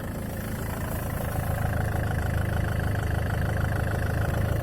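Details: Land Rover Freelander 2 at steady idle with an even, rapid tapping of about four knocks a second over the low engine drone. Engine knock of unknown cause.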